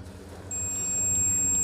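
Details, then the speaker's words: Ford Fiesta fog lamp fuse removed and tested with a multimeter on continuity: a steady high-pitched beep means the fuse is intact, although the fog lamp gets no 12 V supply. "तो beep की आवाज आ रही है इसका मतलब हमारा fuse सही है"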